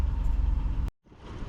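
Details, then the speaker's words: Gen3 Mitsubishi Montero at warm idle, about 881 RPM; smooth, low, even rumble with no ticking; a cold top-end tick (owner thinks oil drains from the top) is common on these engines. Normal warm idle. "So now you can see right there, we at 881 RPM. Everything seems to be normal."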